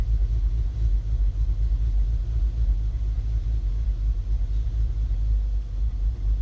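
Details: 2015 VW Golf R DSG, APR stage 2, cold or warm, in park or in drive with the brake held: low idle surging and sagging as if about to stall, with rpm needle jumping; drives fine; new plugs, coils and cam adjuster magnets didn't fix it.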